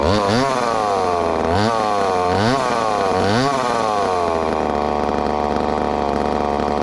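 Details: Ported 2375 chainsaw on methanol after carb mods and ignition timing changes, cutting dense wood: revs hard, then bogs and surges with a choppy rising-and-falling howl. Owner suspects it is a little lean, though not dangerously.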